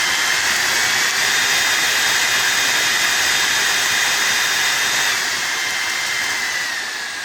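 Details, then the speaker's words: Parkside Performance 20V cordless saw with resin-potted control board after WD40 spray; high motor whine steady, shifts pitch near five seconds, then dies; runs randomly and won't restart, switch tests fine, cause unconfirmed; intermittent cut-out. "mais le problème c'est que là elle marche aléatoirement"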